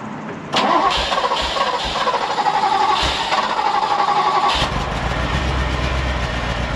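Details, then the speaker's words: Ferrari 308 first started in about 15 years, after a new ECU, wiring repairs and a fuel fix: it would not start until the key was turned while pulling the fuel pump item, then it cranks briefly and catches into a somewhat uneven idle. Owner suspects a fuse. "It's quite interesting because it wouldn't start then, right? So I was just literally turning it and pulling that, which is the fuel pump."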